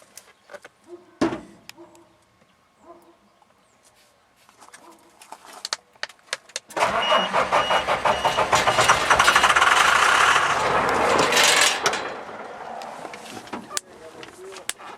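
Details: 1995 Ford F-series box truck, 12-valve Cummins diesel, 301,000 miles, cold start: long steady cranking with no firing; won't start because the fuel line was sucking air.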